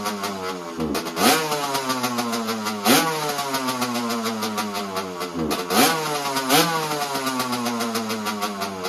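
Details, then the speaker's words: 1985 Honda CR125 two-stroke at cold start with a broken choke: revs climb and sag unevenly, and the idle stumbles and bogs between blips instead of holding steady. Bogging idle. "the choke actually just like broke on me I show you you can hear the bog when it idles which isn't great I not good at all"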